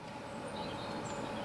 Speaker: La fameuse pompe à chaleur qui fait du bruit et qui agace son voisin.